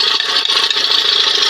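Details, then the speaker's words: Johnson 20 hp outboard running with the hood on: fast, dry chick-chick rubbing chatter from the top of the engine; owner suspects a spring chattering, and the noise disappears with another hood fitted. "It's almost like I hear something weird sound, kind of chattery, rubbing, chick, chick, chick, chick, chick, chick, you know."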